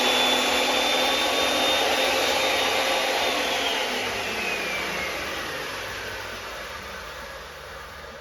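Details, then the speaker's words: Makita 2012 12-inch lunchbox planer with freshly changed sharp knives: steady high motor roar with clean, even cutting hiss that slowly fades, awfully quiet, no smacking of the wood; glass-smooth finish, normal cutting. "And when it went through the planer, it was awfully quiet. And it wasn't that, you didn't hear that smacking of the wood."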